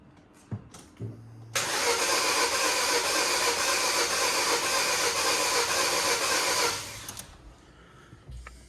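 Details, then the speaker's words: Non-running project vehicle with about 58,200 miles and nearly full fuel tank: starter spins engine evenly about four turns a second for five seconds without catching; owner suspects low compression or timing, compression test possibly needed. "it does sound like low compression on that I might have to do a compression test on this as well"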